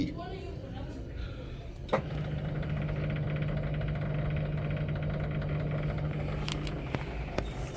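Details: Samsung 6 kg washing machine after repair (bearings, spider, seal, stator and rotor replaced) on its 1,400 rpm spin test: a steady even hum with no grinding or rumble, spinning smoothly.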